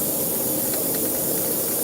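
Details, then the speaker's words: Broken tire valve stem/core leaking: a constant sharp hiss with no rhythm or pitch change. "Oh, yeah, no, there's another one. Yeah, this is actually broken, guys. Wow. Yeah, it's actually broken."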